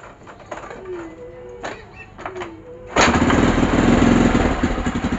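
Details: KYMCO Super 8 scooter after CDI replacement: a few soft kicks, catches at once and settles into a steady, even idle; starts clean and runs healthy.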